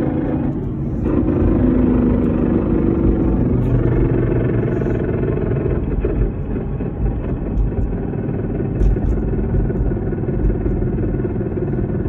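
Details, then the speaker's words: 2014 Whipple-supercharged Ford Mustang, MT82 Getrag six-speed manual with Barton short-throw shifter, 37,000 miles: heavy low rumble under way with a steady whine riding through, constant on decel and acceleration, none with clutch in; failing gearbox. "2014 MT82. Massive whine. Barton short throw shifter. Massive whine."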